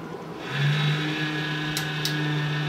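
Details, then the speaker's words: Home server booted to try out pfSense: at power-on a loud droning whir swells within half a second and stays steady; the noise is abnormal and came back after a power cycle, cause unknown. "so I booted it up started making some crazy noise I'm like what the so I turn it off and I turn it back on just to see if it was a fluke"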